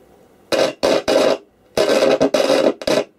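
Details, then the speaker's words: Roberts R900 radio, sold as not working, powered up: loud bursts of harsh static cutting in and out with silence between, an intermittent fault; owner suspects a dry joint or a noisy volume pot, not confirmed. "the volume pot itself the man of noise that's making another head of noisy apostle knows is that"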